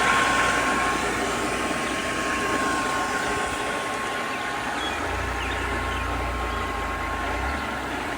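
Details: Completely rebuilt ALMACO small bundle thresher running with concave open and spinning: steady, even mechanical rumble with fast regular churn and faint constant hum, no knocks or grinding; normal running.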